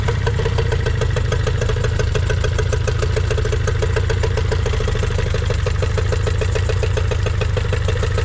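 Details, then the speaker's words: Nissan 18 hp two-stroke outboard after fixing a too-open throttle butterfly and turning the idle air mixture screw about an eighth turn: fast even burble at steady speed, no misses or surging; smooth idle. "and so by tweaking that to the right settings by moving it about eighth of a turn and just finding the sweet spot where it was idling right I was able to adjust this to get the idle just"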